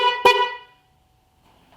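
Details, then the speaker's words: 2012 Chevy Malibu 2.4 whose horn did not work, after bypassing the connector and rewiring power and ground: clear two-tone high-and-low horn blast about half a second, then a short second toot; both horns working. "all right so that sounds not that bad uh this is a high and low horn"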